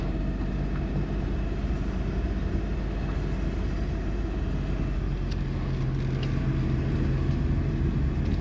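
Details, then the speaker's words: Suzuki Kei Works 4WD test drive after viscous coupling replacement: pulling away gives only smooth low road and engine rumble, no growl; the gogogo drivetrain noise heard before when backing up is gone. "音なんないですね鳴んない！すげー嬉しい前はね、このバックをするとねすごい音がなってたんですよゴゴゴゴ―ってそれが無いな！"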